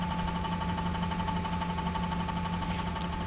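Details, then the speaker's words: Ford Expedition 5.4 3-valve Triton V8 after roller follower replacement on one side, intermittent knock: steady knock about ninety a minute under a hum at idle, present at low rpm, gone at higher revs; owner believes it is the torque converter, sounding almost like rod knock. "It sounds like almost rod knock, but it is the torque converter."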